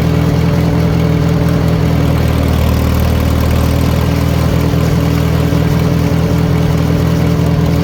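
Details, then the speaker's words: 1940 Farmall H after retiming the distributor: deep steady idle about four firings a second with no stumble; timing was the main cause of poor running, slight spit on quick revs, carburettor may still need going through. "so it's running pretty good the carburetor probably needs G through but I'm going to tell you right now those that timing was definitely a big issue as to why this tractor was running bad"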